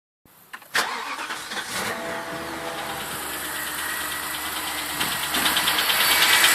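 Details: BMW 745i E65 V8 at 2°C outside, fresh cold start: fast, fairly even top-end clattering/knocking over the idle, building slightly, which disappears after 1 min 20 s; owner suspects an old chain tensioner, unconfirmed.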